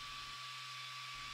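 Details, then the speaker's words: Ender 3 V2 with the 32-bit V4.2.7 silent board: a steady, even fan hiss with a fixed high tone and no motor grind. The meter reads about 50–54 dB, mainly fan noise drowning out the motors; normal quiet printing. "difference it's so quiet right and if you look at the decibel meter it's although it's showing around 54 50 something it is actually mainly the sound of the fan"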